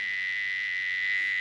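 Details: Galaxy 88 CB radio with many previous mods, echo board unhooked for diagnosis: steady piercing tone near 2 kHz over faint hum, a constant squeal/feedback from somewhere in the modified circuitry, cause still unknown.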